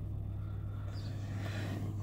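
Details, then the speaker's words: Peugeot 307 1.6 petrol after replacing the ignition coil (its cylinder 2-3 circuit opened when hot) and an injector, errors cleared, idling while warming up: quiet, even hum with no misses or knocks, running well. "двигатель работает хорошо. Сейчас он прогреется и посмотрим."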